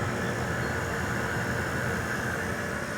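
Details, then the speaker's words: Kelvinator Masterpiece 12,800 BTU window air conditioner, first run after sitting a decade and a half, on low cool with compressor kicking on; constant airy fan rush and faint steady hum, no rattles or grinding: loud but normal running. "tada look at that sitting for a decade and a half and it still runs I mean Merry Christmas that's awesome"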